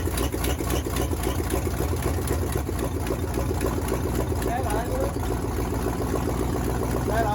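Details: 1979 Chevy C30 first start attempt after eight years sitting: uneven cranking with rough, stumbling firing that never settles to idle; carburetor floats were stuck, freed before retrying.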